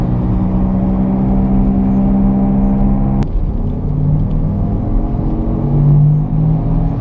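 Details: Car driving straight ahead has a steady low growl under the road rumble, coming from the front or rear wheels.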